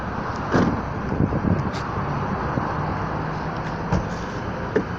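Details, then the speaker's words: Frameless car door as the window glass moves: several dull, uneven knocks from the window regulator guide, caused by worn plastic guide bushings letting the glass rattle; temporarily fixed with a cable tie. "и вот сам стук вот здесь появляется износа как бы пластмассовых уплотнителей которой она сама спине плавай получили вот такой вот примерно я опущу"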